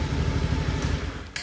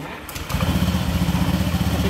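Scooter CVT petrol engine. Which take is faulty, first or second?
first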